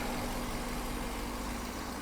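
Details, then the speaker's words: 1997 BMW 740i V8 that sat neglected for years, first start after replacing the fuel pump and relays and removing old fuel: it catches and settles into a steady, even, smooth idle with no knocks or stumbles, not shaking much. Normal idle. "she's not even shaking too much either"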